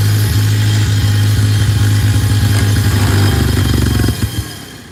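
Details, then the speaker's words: Tractor in neutral with fresh gas just added, which wants to die when revved; water in the fuel is suspected: low, uneven chugging that stumbles and dies after about four seconds. "That's not good. That did not sound good at all. Dang. Huh. I wonder what the problem is here. Sounds like water in the fuel."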